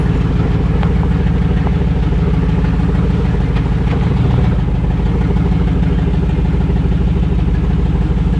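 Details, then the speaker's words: LS V8-swapped rear-wheel-drive Celica GT-SS on its first start in the car, moving under its own power: deep, steady V8 idle with an even lope and no misses, knocks or rattles; no oil leaks, smoke or fire. "it's a success it's alive it moved no trails oil no smoke no fire yay"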